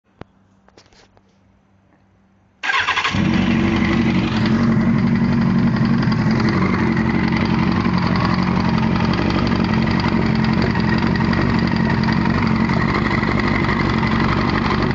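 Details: 1998 Yamaha R1 started and idling, recorded without the clutch. A steady rapid knock; the owner suspects it comes from behind the clutch, possibly a wobbling chain; valves, cam chain tensioner or clutch gasket were suggested, unconfirmed.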